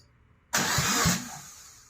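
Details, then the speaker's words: 2004 Subaru Impreza engine, first crank after reassembly with a JB Weld-repaired stud, exhaust manifold off: short crank with a couple of even compression pulses and whirring hiss, turns over freely without firing, nothing clattered. "Yeah, turned over. Nothing clattered."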